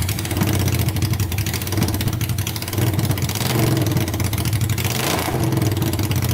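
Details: Honda 500cc engine swapped into a tractor, run to warm up after the fan wiring was repaired: loud, steady, low putter that holds even throughout with no knocks or misses; running good, no leaks so far.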